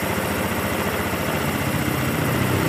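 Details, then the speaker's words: 2013 Honda Beat FI scooter that had stalled with lost ignition, fitted with a replacement ECU; it starts immediately and idles with a steady, even putter, no misses or knocks, confirming the original ECU was faulty. Normal idle. "nah dan kalian bisa lihat dan dengarkan Ini motor langsung hidup berarti penyakitnya ada di bagian sini nih Ecu ini"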